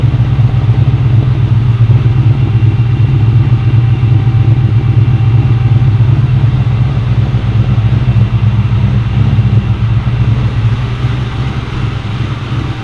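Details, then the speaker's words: 2003–2004 Cobra with a Gen 5 Whipple supercharger at first start-up: deep, even V8 rumble with steady revs that ease off; sounds healthy, normal revving. "we've got these up and running she fired up it sounds great"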